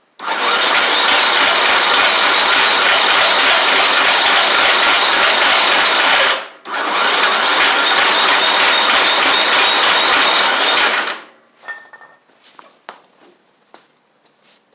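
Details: Murray 24-inch riding mower with a Briggs engine, after water in the fuel and rust in the engine: two long bursts of steady cranking with a rhythmic churn and no catch, battery running low; it turns over but won't start.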